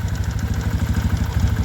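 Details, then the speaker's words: Kawasaki ZX carbureted motorcycle before carburetor work, idle adjuster having no effect and engine hesitating; idles fast and even at about ten firing beats a second, never settling, worse when hot: high idle that cannot be set. "masih tetap tinggiangkut terus apalagi mesin panas malah ndak bisa langsam sama sekali ya teman-teman apadak bisa langsam secara normal"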